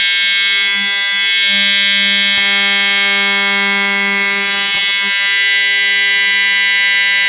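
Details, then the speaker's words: EST 7577AHS older Integrity horn strobe, continuous only, no code 3 option; one unbroken loud low-pitched monotonous buzzing tone, lower than the standard Integrity; horn sounding normally. "Yep, that was really loud. Yep, this thing is so loud, guys. It does make that low pitch, monotonous sound, pretty much. It does sound like it is older."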